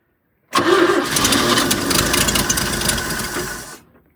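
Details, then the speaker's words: 1972 GMC tow truck 292 sat 22 years, fuel just turned on, pump not yet delivering to filter: catches abruptly, runs ragged about three seconds then dies; owner suspects fuel delivery or carb, not confirmed. "Sounding better. It's sounding better. I don't see any gas in here yet. No. But it's sounding better. Come on. Yeah, this is fuel related. It's not liking my carb."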